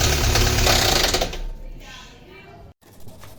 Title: O que pode ser um barulho no motor?